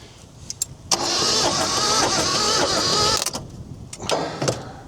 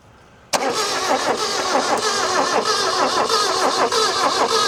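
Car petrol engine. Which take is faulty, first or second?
second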